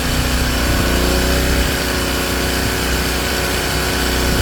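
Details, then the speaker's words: King Canada Powerforce 1500W generator, heating load at maximum heat on its low setting, governor responding this time: steady even drone holding speed under heavy heating load; normal running under load. "Now it's maximum heat. And it's doing it, and it's responding this time."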